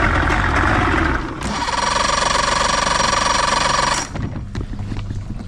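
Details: 1993 Johnson 60hp outboard after repairing a chafed neutral-safety wire and fitting a new starter/solenoid; it cranks briefly, catches cleanly and runs evenly; normal start and running.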